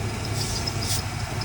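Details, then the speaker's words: 1994 Ford F-150 with 302 V8, sat over a month, drive belt seems to move around, shifter hard to get into gear: steady, smooth low rumble with no knock plus a faint repeating belt chirp. Normal idle. "the gear shift is kind of messed up it's kind of difficult to get it to go in gear but it does uh it idle really really smooth doesn't it"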